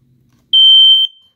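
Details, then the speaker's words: Smoke alarm sounding: a single loud, clean, steady high-pitched beep lasting about half a second, showing the sounder is working normally. "this is an ionization alarm these these this is a hardwired one listen to its sound Amit's this one sounds like"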